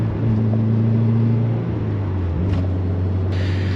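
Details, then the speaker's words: 2000 Subaru Impreza 2.5 RS under load on a test drive after new OEM spark plugs: steady drone, revs hold then ease off, with no stutter, cut-out or misfire. Old plugs fouling above 4,000 RPM had been the cause. "Spark plugs worked fantastically. It doesn't stutter anymore. It doesn't start the fuel cut at higher RPMs."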